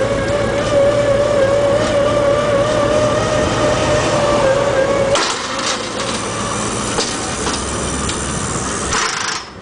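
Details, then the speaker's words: 1995 E350 handicap van (called Ford and Dodge), 5.8 L gas, 108,000 miles: wheelchair lift motor steady mid-pitched whine under load about five seconds, stops cleanly; sometimes chugs but works, lifts 260 lb. "the myth does work sometimes it chugs along but it works fine"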